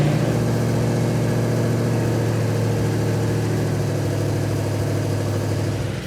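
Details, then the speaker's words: Engine in 1972 Yamahauler van tribute at operating temperature, thermostat open, idle backed down: smooth, even low rumble at steady idle, no misses, knocks or ticks; runs good. "Well, in spite of your best efforts, it runs good."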